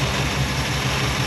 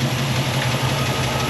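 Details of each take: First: Chevy C10 pickup with rebuilt engine after valve adjustment for a valvetrain knock, half valve cover fitted; smooth, even idle, quiet like a sewing machine, no ticking; one lifter likely was too tight; normal idle. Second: Chevy C10 pickup with a freshly rebuilt small-block, carbureted, warm idle: light steady tick over the rumble keeping time with rpm, heard on one side; suspected lifter or pushrod backed off (loose valve lash); otherwise runs smooth, no misfire.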